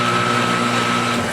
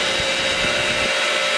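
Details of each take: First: Ridgid R4512 table saw motor, about a year old, with the blade and arbor pulley removed, starts rough and then trips the breaker. Capacitors tested fine. A hard humming drone with a thin whine and no clean spin-up; owner suspects the centrifugal switch. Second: Ridgid R4512 table saw motor after the centrifugal switch fix, rewired for 120 V, running with no blade and turning the right direction: a steady, even hum with a constant tone and no grinding or rattle, running normally.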